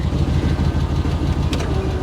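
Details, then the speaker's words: 1999 GMC tow truck, about 198,446 miles, idling with the PTO engaged driving the compressor: low, lumpy, labouring idle; owner feels idle speed is not nearly high enough to run the equipment. "I don't know it sounds like it's not idle high enough I swear this yeah that doesn't work it's not idled near high enough to be running this thing"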